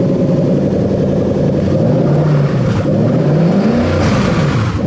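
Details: 1998–2000 Lexus LS400 1UZ-FE VVT-i V8 on an adapted standalone harness with automatic gearbox, just after starting in park: smooth V8 hum rising and settling through a couple of blips, no knocks or misfires; normal healthy running.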